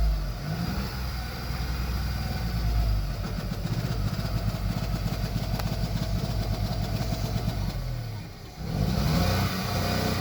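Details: VW Polo 1.2 petrol idling: uneven, lumpy beat with irregular low thumps; cylinder 1 misfire read on code reader.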